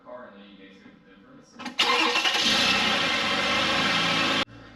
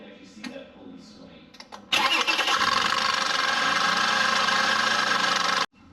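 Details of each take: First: Toyota Avalon 3.5L V6 after replacing the failed, rattling idler pulley and seating the belt in the correct grooves: the engine catches and settles into an even idle with no rattle or chirp from the belt side; normal idle. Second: Toyota Avalon 3.5L V6, engine started: a fast, uneven metallic rattle over the idle from a failed idler pulley chattering on the belt, passenger side of the engine bay.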